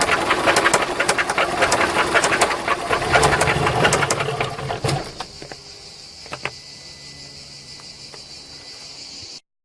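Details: VW Golf 3 engine at idle with quick, uneven tapping of about four knocks a second that fades as revs drop. It is an abnormal knock of unknown origin, in a clip tied to fitting cylinder-head parts.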